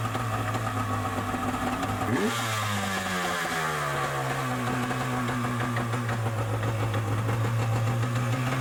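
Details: Yamaha Superjet stand-up jet ski two-stroke after rattle fix (washer-spring-washer regreased): revs up and settles to smooth buzzing run with no rattle; runs healthy.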